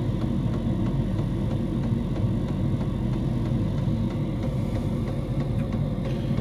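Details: Diesel heater in a homemade fox box at full temperature, 87 °C at the heater pipe outlet: deep steady rumbling hum with soft regular tick about twice a second; burning evenly and healthy.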